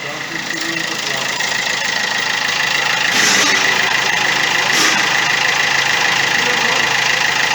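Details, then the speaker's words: Opel Astra J with a suspected gearbox fault. The engine runs with a steady high-pitched whine over it that does not change; it is heard from the right side and said to appear on pull-away. Transmission whine, source not confirmed. "Yoksa bu gibi durumlarda herkesi arkadaşlar kalkış yaptığınız iyi her 180 hemen bu sesi duyarsınız"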